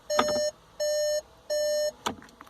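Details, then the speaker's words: Skoda Fabia Mk III (2014-2021) DSG, after fixing the faulty park micro switch: ignition off, selector in neutral, door open, three even mid-pitched beeps from the dashboard; not-in-park warning working correctly, stopping once the selector moves forward. "And just as a little confidence check with the ignition off and the uh selector in neutral, if I open my door, you can hear there's an alarm on the dashboard in the background."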